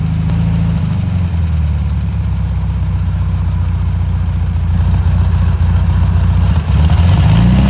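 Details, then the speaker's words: Abandoned, salt-corroded VW dune buggy with air-cooled VW flat-four after cheap rebuild and oil change: even low thrumming idle, about four beats a second, steady and unbroken; engine okay, though a fuel leak at the front hose connection. "Mbaruam, motori është okay, ndruam dhe vajin, por na doli problem."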